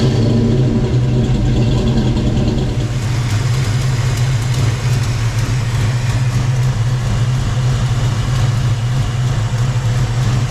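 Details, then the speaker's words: Fox-body Mustang V8 at idle, listened to under the hood: faint fast tick on the exhaust note from a previously unnoticed exhaust leak at a loose header bolt. "like I said I don't hear anything I hear the exhaust leak I didn't know I had um and found a loose header Bolt"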